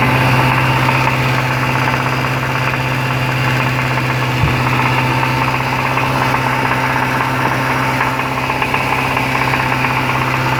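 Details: Jaguar XFR 5.0L V8 running at about 2100 rpm with a deep, steady, regular knock. Stripdown found a worn big-end bearing causing rod knock, due to oil starvation after a dealership service.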